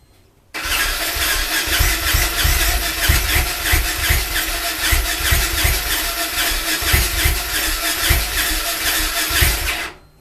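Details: Yamaha Ténéré motorcycle that will not start. The starter churns steadily with even compression pulses for about nine seconds but the engine never catches: a crank-no-start.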